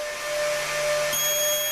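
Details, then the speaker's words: Upgraded Mk3.0 ZVS driver with a high-current transformer, restarted at 10 V after a supply over-wattage trip: steady piercing whine that shifts higher partway through, sounding abnormal; maybe cold components, cause not found. "Wow, that doesn't sound right. What happened? Oh, they're cold. No, maybe? Sounds weird. Why is it such a different sound now?"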